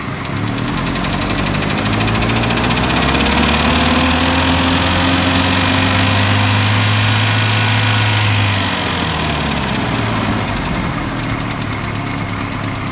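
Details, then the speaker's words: 1984 Nissan 720 Z24 after valve adjustment, warmed up: idle smooth and even with only a faint light tick left, quieter than before; normal warm idle. "Okay, this is what I have after some valve adjustment. Sounds a lot better at idle. It's warmed up now, so it's quieter than last time."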